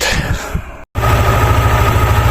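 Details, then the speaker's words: Yamaha NMAX scooter idling after a DIY O-ring replacement in the female torque drive (Suntal assembly), where a suspected busted O-ring had spread oil in the CVT: a steady, even low putter with no rattle, slap or squeal, now very quiet. "So yan, napakatahimik niya. At wala nang ingay."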